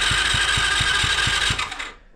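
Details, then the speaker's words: Chinese kids' four-wheeler, about 3 years old, quit while riding and won't restart: fast whirring crank with light, even thumps about four a second and no firing, spinning too freely; no compression, stripped head stud, suspected blown head gasket. "So it's basically got no compression, and I looked under it and there's 4 bolts right here that hold the head on, and then there's a couple down there."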